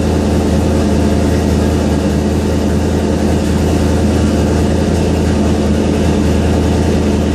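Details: Ford Fairmont V8 on MS3 Gold Box EFI with closed-loop idle control, cold start at about 50–61°F: deep, even burble holding steady idle speed with no hunting or misses. Normal cold idle.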